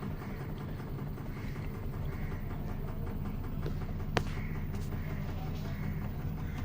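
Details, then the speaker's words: LG Diamond Star fully automatic washing machine, after inlet valve repair, in spin: drum speeds up toward 1100–1400 rpm on the spin timer, smooth low even drone building steadily without knocks or scraping; normal spin cycle. "अर्थात इसकी जो speed है drum की ये एक minute में 1100 से लेकर 1400 के आरपीएम पे ड्रम आसानी से चलने लगता है"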